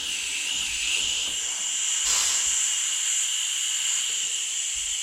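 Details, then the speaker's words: Mack truck air brake system, brand-new trailer air valve, correctly plumbed: constant sharp hiss of escaping air that doesn't let up; valve leaks from the back whether engaged or disengaged. "well took your right out so it leaks no matter what out of this valve and it is plumed the right way everything's good there it just leaks which is annoying because it's a brand new valve"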